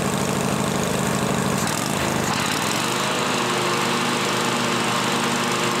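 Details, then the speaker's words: John Deere L-Series lawn tractor running after a deck spindle replacement, a loud steady drone with a rough, gritty undertone: both deck belt-guide idler pulley bearings are worn and need replacing. "Like I said, you guys can probably still hear those two uh idler bearings or pulleys rather."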